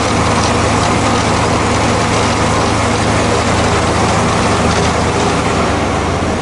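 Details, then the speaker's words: Zero-turn mower after replacing the deck spindle and idler pulley bearings: steady engine drone at higher rpm with blades spinning smoothly and no bearing growl or squeal; previously the bearing noise drowned out the engine. "did you notice there's no bearing noise used to the bearing noise was so loud that you almost couldn't hear the engine or the blades over the bearings"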